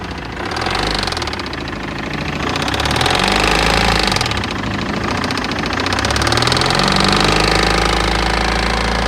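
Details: 2006 BMW E60 2.0 diesel at idle: loud clatter with a hard, regular knock about four per second; source unclear, engine knocking at idle.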